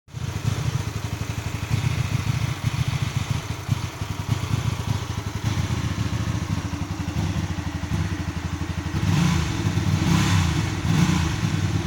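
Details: Hyosung GV250 motorcycle V-twin idling with an uneven, lumpy beat that stumbles and briefly surges; rough idle.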